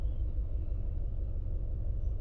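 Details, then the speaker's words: Toyota Harrier idling during a morning warm-up, with RPM rising and falling and the engine shaking: a deep, uneven, lumpy rumble. An ignition coil not working is suspected, with airflow or temperature sensor also possible. "Ini kita coba dulu nih ini getair eh kemungkinan ada kuilnya yang enggak berfungsi kita lihat dulu ya"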